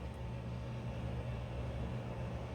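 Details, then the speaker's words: Audi daily driver with loose, flailing water pump belt: low uneven lumpy engine rumble with weird noises seeming to come from the water pump; rough running engine, owner hopes it is not the pulley, cause unconfirmed. "um it's just running pretty terribly i'm hearing weird noises that sound like they're coming from the water pump"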